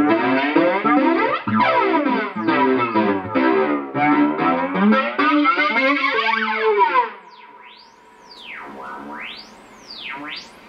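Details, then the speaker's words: J-Rocket Archer Klon-style overdrive with Strymon Mobius on a flanger patch: after playing stops, thin whistling tones sweep up and down over faint hiss; charge pump oscillation heterodyning with the digital effect. "So that's the infamous noise that everybody's hearing. That's the heterodyning, that's the oscillation, something to do with the way that the charge pump interacts with the digital effects."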